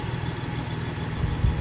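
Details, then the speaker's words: 2006 Toyota Tacoma after crankshaft position sensor replacement; previously cranked without starting with code P0335: starts right up, even low idle, smooth steady pulse, no stumbling or misses; running healthy. "it starts right up it wasn't starting before it was just cranking like crank crank crank crank crank would never start um yeah switched it and seems to be working"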